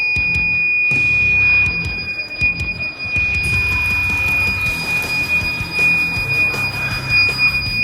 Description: There is no mistaking the high-pitched wail from an auto-sensor faucet that's in alarm!